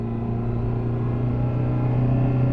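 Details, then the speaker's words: 2007 Jeep Compass Sport, 4-cylinder with CVT, about 229,555 miles, driving and accelerating with no check-engine light: steady low drone holding one pitch, growing louder as it pulls away; normal CVT sound. "as you can see no check engine lights on i am breaking the wheel's not shaking i'm accelerating it's that cvt right there"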